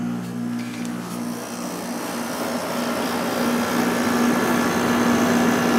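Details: Probably late-1980s Emerson Quiet Kool 6,300 BTU window air conditioner, possibly Fedders-made: low compressor hum starts, then fan rush builds and holds steady with no rattle or squeal; healthy startup, cooling quickly, about 4.7 A at 118 V against a 5.9 A rating.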